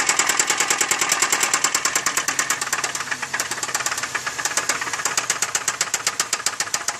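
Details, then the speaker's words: 2003 Chevy Malibu at idle before the engine is pulled for replacement: a loud, sharp, rapid metallic knock over the idle. It is a severe internal engine knock, cause not yet known. "okay well as you guys guys can hear that's a pretty bad noise for inside the engine"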